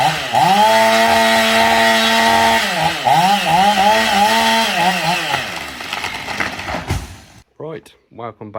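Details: Honda GX630 engine screams at a steady flat-out pitch, never idles, then cuts off. The governor is solid once running but free when stopped, leaving it stuck at full throttle.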